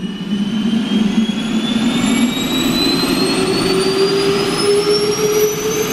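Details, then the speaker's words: Large airliner turbine engine started by air starter fed from a start cart: turbine whine climbing smoothly in pitch over a deep rushing roar before fuel and ignition; clean, normal spool-up. "And now Walter's gonna switch on the output air. That's the air starter. While to wind up the big engine. You can hear it now, a little bit."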